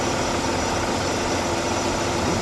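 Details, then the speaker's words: Smooth, even idle with a low steady rumble and no hiss or stumble on an Oldsmobile after vacuum leak repair; no leak heard from the hoses, quieter, and the gas gauge now reads more accurately. Normal idle. "that's something quiet that's such a quieter though I don't hear nothing coming out of it none of this area I didn't hear it that hit some sound when she started it"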